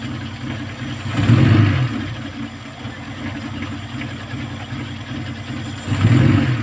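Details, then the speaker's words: Kia Pride at idle before repair: low, uneven, lumpy idle between two throttle blips; misfire from a number 4 high-tension wire that the current burnt through, due for replacement. "So subject for replacement itong High tension wire number 4 Yun lang naman yan so hindi ko na kailangan magbaklas ng spark plug malakas loob ko ito ang problema"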